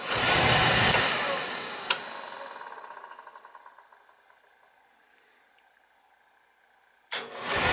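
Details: Beckett oil burner on boiler that kept tripping on safety, after transformer replaced and further parts checked: after a short quiet spell it lights with a clean whoomp into a steady roar, no hesitation.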